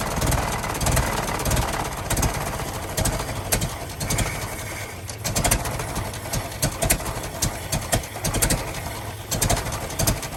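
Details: 1916 Federal Motors truck, 107-year-old four-cylinder that was seized and sat 50+ years, bottle-fed fuel, rusty radiator being filled with water; slow, clattering idle with steady firing and no stalling, runs real good: normal idle.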